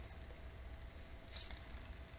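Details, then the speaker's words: Used Lego Mindstorms motor running: a steady small hum with faint, uneven ticks, suggesting worn gears. "can hear that like ticking like the you can the gears sound like they're not doing so great"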